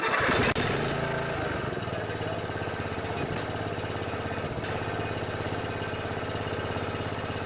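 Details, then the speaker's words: Old Murray riding mower repowered with Briggs & Stratton Intek 14.5 hp OHV single, replacing flathead: fires right up into steady, even single-cylinder beat, no misses or knocks; normal running. "i put a good old uh intec 14 5 industrial commercial gold engine in this one it runs pretty good want to hear it all"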